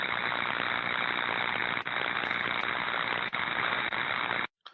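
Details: Ultrasound inspection of an insulating board between medium-voltage phases and medium-voltage switching equipment: a steady frying buzz with sizzling crackle and brief dropouts, electrical tracking and arcing across the board to ground.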